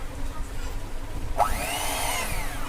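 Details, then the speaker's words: Electric egg beater before repair, plugged in with the switch on; small motor drones then suddenly whirs up in pitch, running unevenly as it keeps stopping and starting by itself, an intermittent motor cut-out. "আমি line দিয়েছি, এখন দেখতে পাচ্ছেন যে এটা এটা চলছে আবার বন্ধ হয়ে যাচ্ছে।"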